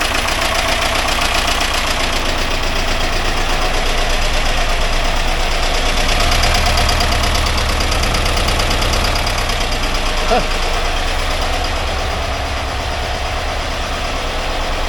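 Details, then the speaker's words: 1982 VW Vanagon Westfalia air-cooled flat-four after restoration and fixing starting and fuel problems, idle adjusted, not yet warmed up: steady, even idle with a low, smooth thrum, no misfire; normal idle, oil light out, charging 14 volts. "very well running pretty good now don't let it warm up good and we'll see what happens"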